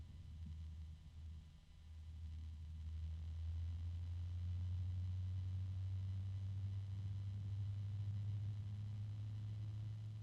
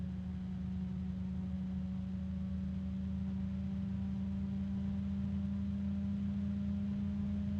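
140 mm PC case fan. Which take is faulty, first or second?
first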